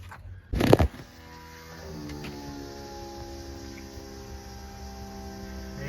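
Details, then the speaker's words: Electric fuel pump on a turbo LS-swapped K20, powered directly with a ground cable hooked up for the test. Sharp clunk at connection, then a steady electric hum rising in pitch and holding even; it pumps gas out, so the fuel system is working. "Sounds like it's pumping. Oh, there it goes. We have gas. About time. Here we go. The fuel system is working."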